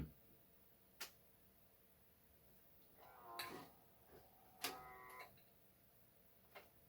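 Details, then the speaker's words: Used eBay camcorder, tape mechanism failing to record: a quiet room with sparse clicks and short whirring motor bursts, clunking without ever settling into steady recording. Cause not confirmed. "there might be a jump cut in a minute but there might not don't want to record make some weird noises"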